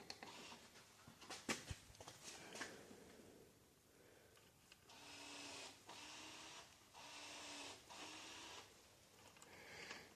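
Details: 2003 Chevrolet Suburban (GMT800) with manual transmission swap, front axle actuator powered directly without switch to engage front diff: faint low electric hum in short even bursts; actuator cycling and engaging properly.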